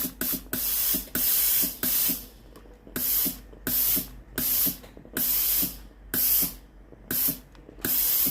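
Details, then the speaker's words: Philips GC9622/20 steam iron, boiler test bypassing water pump: sharp hiss bursts about once a second, cutting off cleanly — normal steam output; faulty water pump and possibly intermittent steam switch diagnosed. "ลองกดเทสเครื่องดูนะครับไอ้น้ำออกกันนะครับผม"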